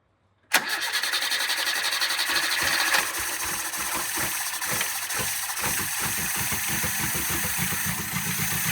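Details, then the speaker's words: 1975 Toyota Corolla KE30, 1.2-litre carbureted engine, abandoned for years, carburetor flooding with wet plugs: it catches into a lumpy, uneven chuff with gaps, running on about three cylinders and shaking badly. Misfire. "okay well it's running but it still sounds like it's on three or you can tell it's on creatures it's shaking really bad"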